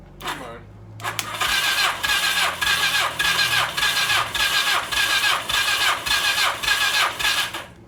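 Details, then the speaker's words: 1982 Suzuki GS1100 not run in years, cranking with plugs out after oil squirted in cylinders, compression test reads 140: steady cranking rising and falling about twice a second, even strokes, no drag; good compression. "see that from there that's 140 that's good"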